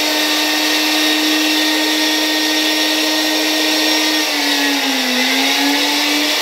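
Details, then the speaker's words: 1964 Gamma II vacuum cleaner (type A-6b), KASB-70/30 motor on mains after rust cleanup and bearing lubrication, run without suppression capacitor: loud steady whine with rough hissy edge, pitch sagging and wavering; worn motor bearings suspected, replacement planned. "silnik działa Wydaje mi się że jednak trzeba będzie tutaj wymienić te łożyska"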